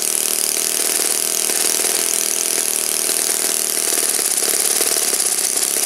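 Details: Saito FA-56 four-stroke model engine, first run after teardown, cleaning and bearing replacement, 12x6 prop, OS F plug, 5% Omega fuel, tuning run: loud steady high-pitched buzz at constant speed without sagging or misfiring; runs cleanly.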